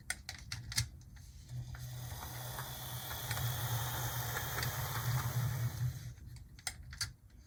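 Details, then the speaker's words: Gulf, Mobile and Ohio Proto 2000 S1 HO switcher loco that had sat unused, a model possibly prone to cracked gears, first run on track: soft, even motor hum with light wheel clicks, no grinding or skipping; runs smoothly. "so let's see well here it goes no problems whatsoever"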